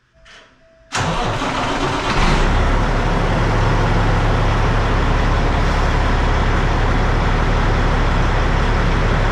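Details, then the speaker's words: Truck diesel after the exhaust was reassembled and clamped, recorded inside the building while backing out: fires on the first try and settles into a steady, even idle with a smooth, noticeably quieter exhaust note and no leak puffing. "I'll let you hear it as I back it out of the building. I mean, yeah, it's going to be a little distorted because I'm inside the building, but you can hear how much quieter it is."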